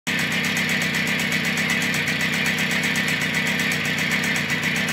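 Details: 39-year-old Testi Comfort 50 two-stroke moped, first start after overhaul, running on choke: fast, steady, even buzz with no misses or knocks; no apparent fuel or oil leaks, normal running.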